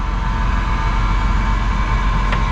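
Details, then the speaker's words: High-top Chevy Astro van, 90,000 miles, at a Florida dealer auction, just started: steady, even low rumble with a faint constant whine on top, no knocks or misses. Normal idle, engine sounds healthy. "Dude, she purrs."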